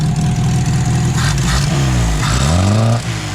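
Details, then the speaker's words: Ford with a Weber carburettor, fuel confirmed through the second stage, idle jet and mixture screw checked, exhaust blowing and a loose alternator wire found. Rough uneven idle that lifts briefly on throttle then sags. Hesitates and won't rev. "He's doing it. Don't wanna rev up."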